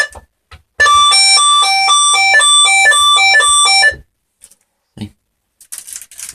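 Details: Burglar alarm system in test mode during a final test sequence: a loud stepped electronic warble runs for about three seconds, then cuts off cleanly. The alarm sounder is working normally.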